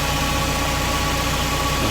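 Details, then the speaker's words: Steady, loud high whir over an even engine idle from the 25-year-old fuel pump near the fuel filter under a Mercedes SLK R170; the aging pump motor is running noisily. "Quite noisy, I can hear it running. Let's see if you can hear it. Yeah, that's quite a whir there, isn't it? It's an older motor."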